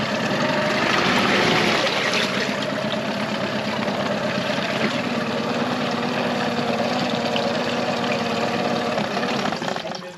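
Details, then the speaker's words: 2001 Yamaha 15hp four-stroke short-shaft outboard, sat unused in a barn over 5 years, after full service, running in a test tank: even, steady idle with smooth burble and splashing water, no misses or knocks. "But we're just going to let this run for a while. Revs up really nice. Goes into the gear smoothly."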